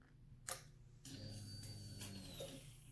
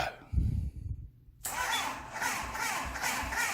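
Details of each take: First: MV Agusta 750F4 cafe racer, ignition on after wiring fuel pump: sharp click then low steady hum for about a second and a half as the pump primes; normal. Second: MV Agusta 750F4 cafe racer first start attempt: sluggish, even starter chug about four beats a second for seven seconds without firing; battery nearly dead.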